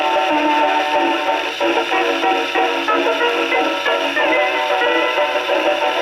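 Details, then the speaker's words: HMV No. 4 reproducer, rebuilt, owner-reported buzzing/distortion, isolator gasket modified to fit tonearm, tested on freshly serviced Victrola VV-50 with new mainspring: clean steady playback, no rasp or buzz on loud passages; still sounds good, possibly intermittent fault not reproduced. "There you go. Still sounds good."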